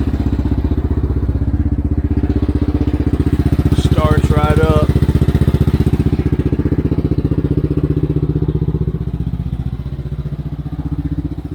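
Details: First start of an Xcel mini dirt late model (micro sprint based) after the carb was cleaned. The engine catches straight away and settles into a steady, even idle with a firm, regular beat, running clean and healthy.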